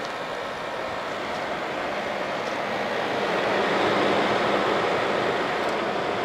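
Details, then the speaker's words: 1988 Fedders Cool Tote Slim 5000 BTU air conditioner in 50s°F weather: soft, steady rushing airflow with barely any compressor hum, smooth and even; compressor very quiet just before it shuts off, unit healthy and cooling. "Man, I can't believe how quiet that compressor is."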